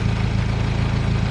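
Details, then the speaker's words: Turbocharged car, after fixing leaking vacuum T fitting for P0507 high idle: steady low even idle, dropped below 1,000 rpm from above, no hunting or hiss; high-idle code did not return after clearing and driving about 20 minutes. "I think we fixed this problem. It seems you're idling just fine now."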